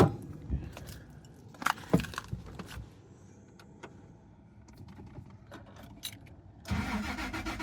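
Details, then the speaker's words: First-gen Toyota Tacoma after repriming: keys rattle, then the starter cranks steadily over a second with no firing; no fuel appears to be pumped through the system, and the owner suspects the fuel pump. "All right, we still have nothing. So, [sighs and gasps] at this point, my main thought is going to be, okay, we're not getting fuel at all because it's not being pumped through the system."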